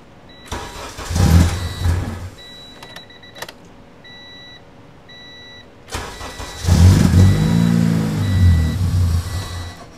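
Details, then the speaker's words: Budget EG Civic with K23/K20 turbo hybrid engine, newly loaded 05–06 RSX base ECU, two start attempts: it catches briefly, stumbles for a second or two and dies, won't idle; wrong fuel injectors. "so uh I'm gonna wait till tomorrow to uh fix all these problems and see why it doesn't want to idle it seems to me that it should just"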